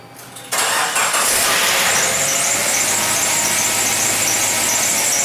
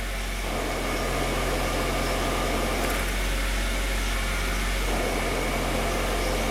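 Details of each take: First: 1996 Suzuki Sidekick Sport after manual transmission replacement with reman unit and Exedy clutch (old gearbox noisy in all gears but fourth): fires at once, even idle, no knocking, clunking or grinding; running normally. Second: 1996 Suzuki Sidekick Sport manual transmission, stationary, clutch released; harsh, rough whirring growl from the input shaft, noisy in all gears except fourth and howling at highway speed; input shaft bearing noise before transmission replacement.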